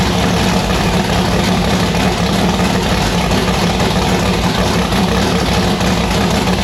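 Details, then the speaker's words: V8 race car with newly installed 1150cfm Pro Systems carburettor on E85, just started: loud, deep idle with uneven choppy pulse and hunting rhythm; rough lumpy idle, carburettor still needs tuning. "All right, guys, there you have it. Annabelle started, it fired. It sounds pretty violent."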